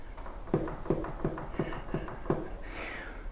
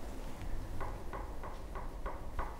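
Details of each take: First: Harrison HS223 mill vertical head: light, sharp clicks about three per second over a quiet hum from play in the key of the gear on the back of the cross shaft; planned fix is making a new quarter-inch key. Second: Harrison HS223 mill vertical head, close up after loosening the overtight bevel while adjusting spindle taper bearing preload: small crisp clicks about three per second as the head is rocked; light, even bevel play, correct clearance.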